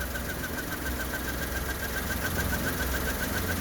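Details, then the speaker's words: 1997 minicab small interference engine idling low and slightly uneven in neutral; starts right up, but owner thinks idle needs raising about 100 RPM and plans to adjust the idle screw. Cause suspected, not confirmed. "I think it's the idle too low needs to come up about 100 RPM but I will learn"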